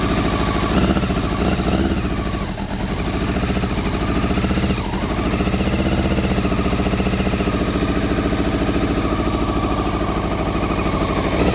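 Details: Honda CBR400RR NC23 four-cylinder, just started on petrol poured down the fuel pipe plus carb spray, water leak: rough, lumpy, stumbling idle, firing only on cylinders one and two; three and four stone cold, not firing.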